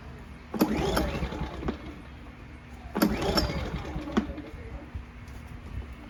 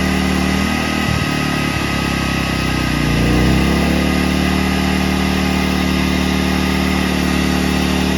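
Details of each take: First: A-ipower 2300 W inverter generator (SUA2300i) no-start: two recoil pulls spin the engine briefly with no firing or catch, caused by a clogged carburetor main jet. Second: A-iPower SUA2300i/SC2300i inverter generator that would not start, after carburetor cleaning: it catches after a few cranking pulls and settles into a steady, even idle with no misses or knocks. Running normally.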